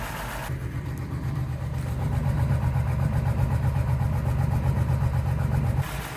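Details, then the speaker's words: Ford F-150 project truck, first start of replacement engine: low idle drone with faint uneven pulse about four a second; owner suspects a miss, cause not pinned down; power steering also noisy. "So, it does sound like I might have a miss, but uh hopefully we can diagnose what's going on with that."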